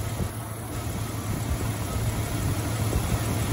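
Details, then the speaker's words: 1999 Jeep Cherokee 4.0 just after installing 4-hole fuel injector upgrade, first start before the computer relearns fuel trims; steady low idle with faint quick injector ticking, no fuel leaks; normal idle. "running pretty good you can hear the little fuel injectors ticking away"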